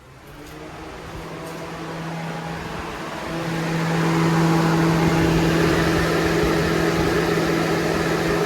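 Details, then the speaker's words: 2011 Toyota RAV4 electric cooling fans run via scan-tool activation test after the old, violently vibrating fan was replaced: smooth spin-up into a steady rush of air with no shaking or rattle; both fans work normally. "Much better. Both fans work."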